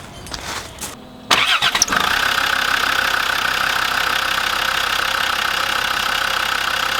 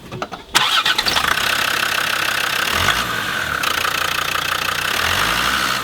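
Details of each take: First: Land Rover Defender TD5 diesel cranks and settles to idle with a constant high chirping twitter from the idler pulley bearing, heard after belt tensioner replacement and before idler pulley and fan belt replacement. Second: Land Rover Defender TD5 diesel starting and settling to an even idle after replacing the belt tensioner, two idler pulleys and the fan belt; the chirping belt-area twittering noise is gone.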